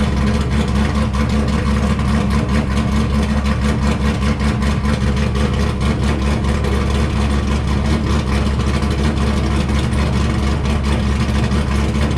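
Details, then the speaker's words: C5 Corvette Z06 with forged 408 stroker and big cam, tuned, no catalytic converters: deep, lumpy but steady V8 idle with even rhythmic cam chop, no misses or knocks; idles well for the cam. "so as you can hear this thing sounds like a beast and it seems very well tuned as well it idles well for uh for having a decent sized cam"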